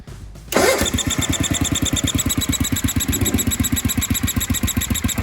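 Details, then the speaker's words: 1976 Sears ST12 garden tractor, recently given a new PCV breather and hose, a muffler swap and tuning. Steady thumping idle with a new high chirpy squeak on each firing stroke. Changing the plug didn't help; the owner wonders about a head gasket, cause unknown. "but here we go you can hear that squeaking it's weird"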